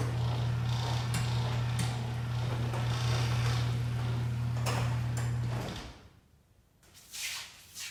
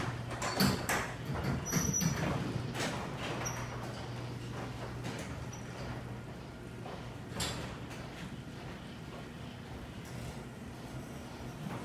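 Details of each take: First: Garage door opener after lubricating the track with white lithium grease: a steady low motor hum through the run, then it stops, with no squeal or chirp. The squeaking is gone. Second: Garage door opener drones low while sharp squeaks and clacks repeat as the door travels; suspected metal-on-metal friction from dry parts.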